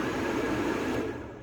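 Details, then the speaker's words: 2009 Lincoln Town Car, blower heard with the key off and a jumper across relay terminals 30 and 87: rushes at full speed, then dies away when removed; shorted blower speed controller at the back of the engine, not the climate control unit. "now I took it off let's do it again so now I can say that the speed controller is what is faulty and it's not the climate control unit"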